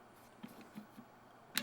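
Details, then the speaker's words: Torque-limiting installation tool on a tire pressure sensor: a few light ratchet-like ticks, then one sharp click as the tool breaks free at its set torque so no more torque is applied, protecting the sensor. "break free soon as that breaks free no more torque can be applied that's keeping our sensor safe"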